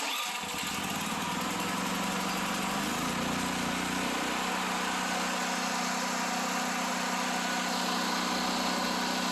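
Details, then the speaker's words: Restored generator (old tank rusted, carburetor gummed up) started on choke with fuel on for a test run: catches and settles into steady even mid-pitched drone, no misses or knocks; ran well, about as loud as another generator. "it ran good, ran it for a while, decided to run my other generator next to it, and ended up, they're both probably about the same amount of noise"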